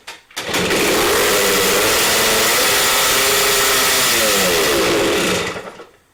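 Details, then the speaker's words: CT2 two-stroke motorcycle kick-started after repair work: a harsh, buzzy scream climbs and stays high with no throttle control, pitch wavering before it dies. The slide works and the choke is off; the owner suspects the idle adjust screw is turned too far in. "time well I ran didn't it so something is right but it did run away is it why is it running away is my slide stuck"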